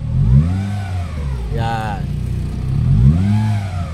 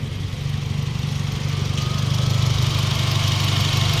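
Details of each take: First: 2017 Honda City 1.5 with the AC on: revs rise and fall with a rough drone and an added hum, worse around 2500–3000 rpm on the expressway. The noise is not the belt, tensioner or pulley bearing but the AC compressor internally. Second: 2017 Honda City 1.5, previously noisy with AC on, after replacing the faulty AC compressor with a Japan-surplus unit, AC running: smooth, even engine note rising gently with revs, no drone or grinding; normal idle with AC on.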